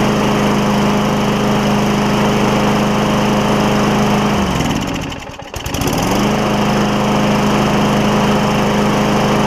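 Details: Craftsman self-propelled mower with Tecumseh Vector engine, after carburetor replacement, run without air filter: steady, even drone at fixed speed, one brief sag and quick recovery, then smooth; engine running properly.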